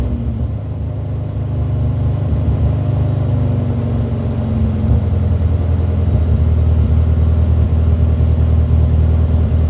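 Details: Mini small petrol engine idling and revving smoothly with an even low rumble, after replacing disintegrated vacuum elbows on the MAP and air bypass sensors that had caused limp mode.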